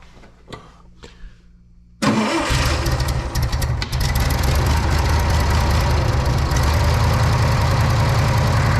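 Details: Old Bobcat 600 skid steer after makeshift variable speed drive belt fix, belt mid-travel for medium speed, started with a little choke: catches after a short crank, settles into a steady even low rumble, no knocks or misses.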